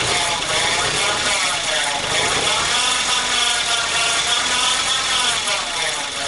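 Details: Alternator whine from a car: a thin high whine rides steadily over the running engine and grows louder with revs; noise was intermittent before, now almost constant; owner suspects worn alternator bearing, not confirmed.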